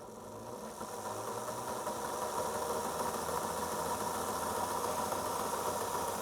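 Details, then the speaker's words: Old Athearn F7A model locomotive, stored 25–30 years, after oiling the motor bearings and greasing the gears, on DC; smooth, even motor hum with a light steady buzz, running cleanly at fairly slow speed. "so you can see that's even operate at a fairly uh slow Speed without any problems at all"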